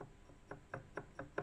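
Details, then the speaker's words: WSK 125 two-stroke engine after about 42,000 km, cylinder removed: sharp metallic clacks as loose connecting rod is rocked up and down by hand; big-end needle bearing disintegrated, a needle scored piston and cylinder and jammed rings; no piston seizure. "Jest luz. Góra, dół. Łożysko się na dole rozleciało całkiem. Na korbowodzie igiełka wyleciała."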